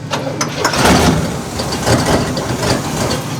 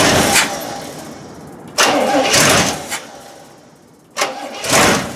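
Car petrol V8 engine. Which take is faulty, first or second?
first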